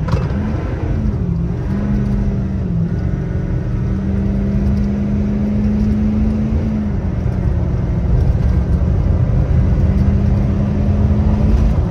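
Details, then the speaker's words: 6.7 Powerstroke diesel after a complete CP4 fuel system replacement, about 20 minutes into driving, on a quarter-mile full-throttle test run: deep, steady diesel rumble pulls strongly under load with a constant whir, no knocks or stumbles. Normal acceleration. "all right we got her all together she's running great been driving for about 20 minutes we're gonna give her a rip here where we always do our little quarter mile test run here"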